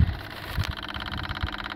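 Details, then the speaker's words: Bobcat 853 skid steer fixed for fuel starvation with a new 12 V electric fuel pump kit. After sitting overnight, key on without priming: a fast, even ticking hum with a soft low rumble as the pump runs steadily and normally. "you used to have to always prime it all the time just turn it on hear the fuel pump running"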